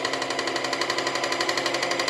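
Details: Singer Facilita Pro 4423 sewing machine, about eight months old and under warranty: fast, regular hard metallic clatter about eleven beats per second, far louder than normal. Thread, needle and lubrication already redone and caught bobbin thread removed; noise persists.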